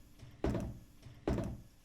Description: My sump pump was keeping me up at night because every time it shut off it would make a loud clunk. This is caused by the pumps internal check valve slamming shut